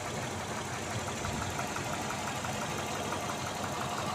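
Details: Engine at idle, before/after AWS NT-10 additive: light, uneven tapping over the engine hum at roughly three taps a second; knock present, cause unknown.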